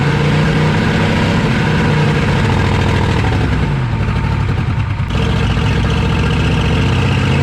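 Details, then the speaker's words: 1986 Chevy 1-ton dually Squarebody, swapped 6.2 Detroit diesel, sat 22 years, first run after unrestricting exhaust, heavy white smoke: deep loping idle, uneven stumbling beat with a brief dip; then idles very high like running away, sounds like starter stuck on. "I'm not sure I actually shut it off because of the high idle it just started idling really high like it was going to run away sounds like the starter's stuck on"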